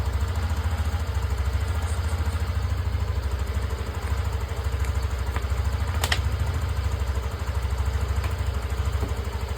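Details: TVS Callisto scooter after fixing a weak fuel pump that had made it sputter, tick and stall when throttled: steady, even idle putter with a regular low beat and no stumbling or dying; running smoothly.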